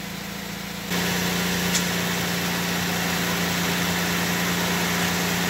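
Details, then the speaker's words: Honda del Sol started with a newly wired push-button starter switch, after new ground wires, a radiator fan swap and a distributor cap change: quiet, steady idle with a smooth low hum and no knocks or squeals; barely audible. "Did that turn on? Yeah. Can't even hear it. I know."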